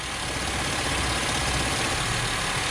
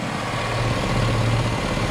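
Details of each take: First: Engine-swapped truck with the EVAP purge solenoid and tank EVAP pump unplugged: the pulsing tick is gone, leaving a steady, even idle with a smooth hiss; normal idle, with the EVAP system pinned as the noise source. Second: Engine-swapped short-bed truck idling while the cooling system is burped: a steady low idle with a faint rapid pulsing flutter. Owner suspects the EVAP purge valve or solenoid on top of the intake manifold.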